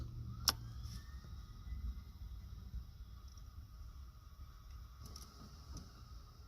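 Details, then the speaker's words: Lexus LS460 with a failed starter. Turning the key gives a brief high whirring "zing", like a jet spooling up, with no cranking and no engine catching; the starter spins but does not engage, and the battery is getting worn down. "hear that noise? Kind of sounds like a jet engine starting up or something. Zing."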